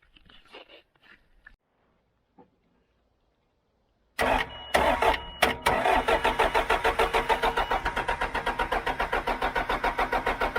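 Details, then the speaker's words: John Deere 310G backhoe diesel after a long-awaited part was fitted, white smoke: silence, then the engine catches and runs roughly at about three beats a second and won't stay running. More priming with the primer pump planned; cause unconfirmed. "Man, that sounds like it wants to. Wow. Hey. Hey. Come on, baby. Come on, baby. Stay running."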